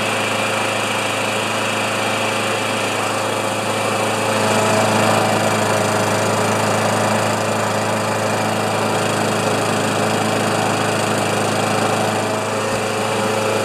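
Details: Older Murray mower with 158cc Briggs & Stratton Classic single-cylinder engine, drill-started: holds a steady, even buzz with no hunting or misses throughout, running cleanly.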